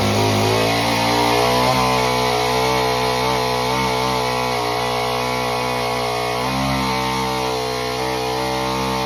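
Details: Homelite Super Mini chainsaw that previously wouldn't run, rev or idle, after repair: an even two-stroke buzz sags slightly as the chain bites and recovers cleanly. It runs strong through a big log.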